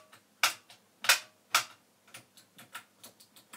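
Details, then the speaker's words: Vintage NAD 3020 amplifier after capacitor replacement cured its hum: irregular sharp crackles and pops from the speaker as the knob turns, scratchy dirty volume potentiometer, no hum remaining. "Okay, I got some scratchy pots there."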